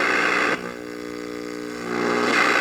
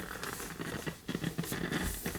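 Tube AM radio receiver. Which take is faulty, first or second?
second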